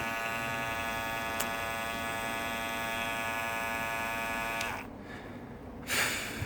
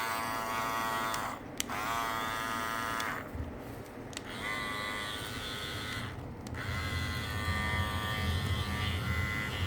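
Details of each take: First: New Andis Master cordless hair clipper running with a loud, harsh buzz from its loose, vibrating lid; quieter when held or lid bent. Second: New Andis Master cordless clipper after its lid/cover was reseated snugly into its groove to cut vibration: a steady, fairly smooth buzz with no sharp rattle from the cover.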